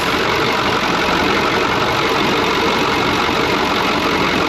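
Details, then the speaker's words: Cummins 555 "triple nickel" diesel in a Brockway 358 truck at idle, just after a valve adjustment that adjusted the loose injectors and tightened nearly all the intake valves. Dense, even clatter with no missing or irregular knocks; normal, healthy idle. "that sounds good that's all the blood oh man i love this truck it's awesome that sounds freaking awesome nothing else sounds like a triple knuckle"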